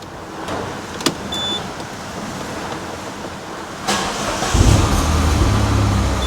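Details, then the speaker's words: Peugeot RCZ-R after replacing the rocker cover gasket and a service, with no oil leaks now. Over loud rain, a brief crank catches cleanly and settles into an even, smooth idle with no knocks or ticks. "okay so we're all back together and i've had it running for a while as well and it runs perfect now runs great"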